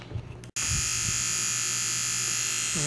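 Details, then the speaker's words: Federal Signal Aerodynic light bar rotator motor after cleaning and repair, previously very noisy from dirt and grime; now a steady, even high-pitched whir with no grinding or rattle, running smooth and healthy. "motor running definitely sounds better than you"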